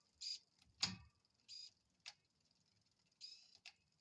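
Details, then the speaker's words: L-Twoo Ae wireless-to-cable rear shifter on a 9-speed cassette using the app's 10-speed setting, after adjustment: short high whirring bursts with light ticks, each shift quick and clean, quiet between; rear derailleur servo shifts properly. "Alrighty, so that's working quite nicely there."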